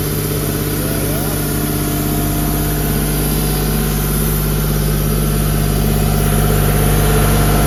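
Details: CompAir LeRoi C175 portable air compressor with a 49 hp John Deere diesel: low, even drone holding steady speed with no knocks or misses; a normal idle.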